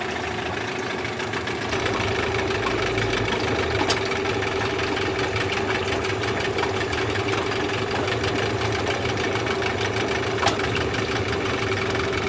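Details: Yamaha 8C two-stroke outboard bought from Japan, after a rebuild with sandblasted starter housing, flywheel and head and a new lower bearing: steady even idle with a light buzzy drone, no knocks or rattles; running smoothly.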